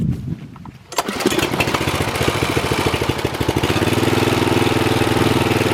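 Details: Old Troy-Bilt mower after new piston rings (old ring gaps almost three times spec) and a brand-new carburetor, fresh oil: pull-start catches after a second and settles into a steady, even single-cylinder beat with no stumbling; runs healthy.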